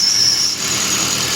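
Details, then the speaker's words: Kia Picanto 1.25 after a general engine rebuild for lubrication failure, gearbox removed, idling: thin high squeal from a poor-quality non-original rear crankshaft seal at the back of the engine; applying water reduces the noise. "Aquí pueden observar e el motor ya está encendido y el ruido que genera la parte trasera del motor."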